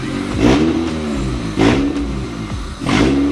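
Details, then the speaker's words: 1998 Honda Civic EK with no exhaust fitted, after installing a cheap eBay idle air control valve for a surging idle: three sharp throttle blips with a raw, rasping unsilenced bark and pops; throttle response is present. "This thing sounds so dumb without an exhaust. This sounds crazy."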